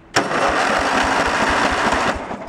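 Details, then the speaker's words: Junk riding lawn mower tractor, starter powered directly from a jumper pack bypassing the safeties: brisk cranking with even compression pulses about five a second, steady and strong; normal cranking. "so this is bypassing all the safeties just putting power right to the starter"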